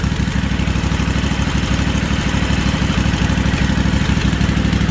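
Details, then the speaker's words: Freshly rebuilt Kawasaki FR730V V-twin in a Cub Cadet SX60 mower, first run after install: steady, even low thrum at smooth idle, no knocks or misses; owner says it doesn't sound bad; normal running. "What do you think, guys? Don't sound bad, does it?"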